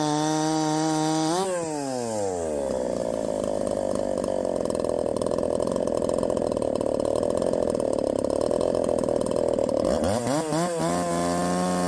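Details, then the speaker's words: 372XP clone chainsaw with ignition timing advanced a full key's width: screams off the wood, then pitch drops hard and holds low in the cut, barely 10,000 rpm; owner suspects too much timing advance and will back it off. "she still ain't nothing special barely getting 10 000 in the cut that's uh that's pathetic"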